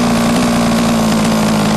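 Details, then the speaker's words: HPI Racing Baja 5B two-stroke, new, low-end carb needle turned too rich during tuning: loud low idle burble that wavers rather than holding crisp; too much fuel makes rich loppy idle. "If you richen it too much, you notice your idle gets really loppy, it's too much fuel."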